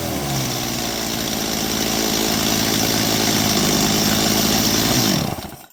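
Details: Stihl MS230 chainsaw: it screams at a steady high speed for five seconds without dropping to idle, then cuts out. Runaway throttle; the trigger slips into half or full choke despite cleaning and oiling, and the stop switch doesn't work.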